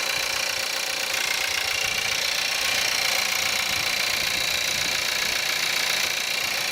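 Cold idle dominated by a fast, even, hard clatter up top, almost diesel-like; rattle present, cause not yet pinned down.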